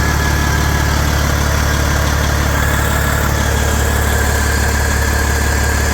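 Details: 1994 Kenworth T600 with a 12.7L Detroit Series 60 diesel, running after replacing the exhaust manifold gaskets and bolts to fix a manifold leak. Steady, even idle with a low rhythmic thrum near four pulses a second and no ticking or puffing; runs healthy.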